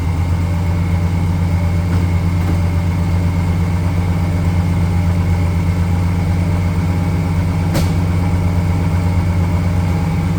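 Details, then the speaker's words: Chevrolet 454 SS pickup, stock big-block 454, after sitting for years, cold start: deep even idle with a faint steady whine from the belt accessories. Owner suspects an idler pulley, air pump or AC clutch bearing. "Well, there's definitely something gotten louder under there. Maybe an idler pulley or my air pump or Maybe it's the bearing in my AC clutch."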